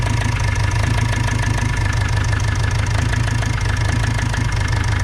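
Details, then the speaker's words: Opel Vivaro / Renault Trafic 2.0 CDTi diesel idling: steady hollow rhythmic knock under the clatter; swapping injectors 3 and 4 changed nothing; teardown confirmed worn, scuffed piston skirt in cylinder four; piston slap. "так что будем доставать вело быстрее всего шоу поршень юбка поршня поршень болтать их цилиндре наверное сидит такой звук"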